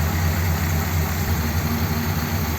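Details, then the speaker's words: 1957 Ford Thunderbird V8, carb restored with original parts after 30 years on two barrels, choke not fitted; steady, deep even idle in garage, no knocks or misses. "sounds like it might be slightly r I think out in on the street when it's just in normal use and being run it'll be better than just idling here"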